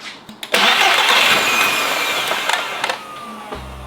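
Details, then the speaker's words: Audi RS3 2.5 L five-cylinder, jump-started with a diagnostic tool plugged in: starter cranks, engine catches and revs briefly, then dies within about a second; the undersized battery can't keep it running. "Now, even with the car being jump-started, it was running for about a second and then shutting itself completely down."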